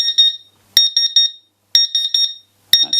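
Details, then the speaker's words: CW-3000 laser cutter water chiller, drained and plugged in: shrill beeps in short bursts about once a second, no display, pump silent; flow alarm, owner suspects the small internal power supply has gone. "and dandy no display pump's not running yeah so it's partially working okay now we can find out what's gone wrong my feeling is i'm fairly sure that uh the there's a little power supply in here i think that's gone uh toast"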